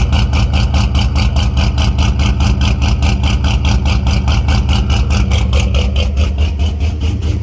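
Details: Fox-body with SLP exhaust, cold start after a junkyard 3G alternator swap; steady lumpy V8 idle with even pulses and deep low rumble, no knocks or misses; healthy running engine.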